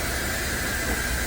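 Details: Samsung washer's finished spin cycle after swapping in a new flange shaft (the old one came apart): a steady, even high-speed whoosh, no knocking, rumble or thumping, quiet and not shaking; a normal spin after the repair.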